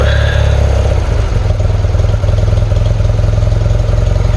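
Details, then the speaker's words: 1977 BMW R100S motorcycle, 40 years old: a slight throttle twist makes the lumpy low idle sag and nearly die, then recover to an uneven loping beat; larger twist revs it; throttle stumble near stall. "You may have seen that. I turned it just a little and it was going to die."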